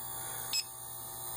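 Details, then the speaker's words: Condo AC with history of refrigerant top-ups, electronic leak detector at the indoor evaporator coil; sharp high beeps about once a second over a low steady hum, going off just inside the coil toward the back, not the U-tubes. "And I've already run it across here once. I know that just back in the back there, you can hear it go off. Just inside the coil."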